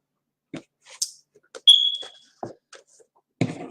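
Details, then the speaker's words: Smoke alarm wired into a home alarm system: single short sharp chirp in a quiet room; keeps chirping even unplugged or with battery removed, owner suspects it needs a new battery. "Or if you take the battery out, it still doesn't want to stop beeping. Maybe we need to add a new battery. How about that?"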